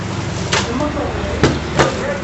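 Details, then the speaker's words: Brastemp 11 kg washing machine during spin: it hums while the tub slams the cabinet in hard, irregular thuds. Cause was worn basket suspension/articulated springs; replacing them fixed it. "Acabou a batedeira. Batia que parecia que ia pegar voo. Defeito."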